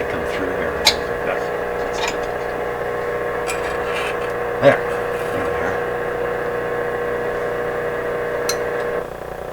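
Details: Westinghouse 981X shortwave receiver after replacing the defective output transformer, restoring push-pull output, mains around 100-106 V, on the broadcast band: steady hiss, faint station and low hum without crackle or distortion; audio output working normally.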